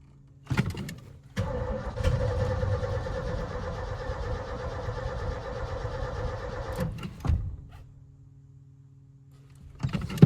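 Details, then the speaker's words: 1980s Ford F250 big block with a new starter relay and the gas tank reinstalled: strong, even cranking for about five seconds with the fuel pump audible, but no start. Owner suspects the previous owner's fuel issue, likely a clogged fuel line. "All right, it's still cranking, but not starting. So, uh but the cranks are healthy. I hear the fuel pump going."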